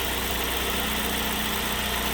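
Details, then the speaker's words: Ford Focus running rough after an accident, lean code P0171: idle smooths when brake cleaner is sprayed near the crinkled air box by the mass airflow meter; vacuum leak, owner sure the air box is cracked. "smooth right out and once the brake clean dries up goes away it'll start running like a like a bag of again [Applause] so we've got i guarantee you this air box has got a break in it somewhere"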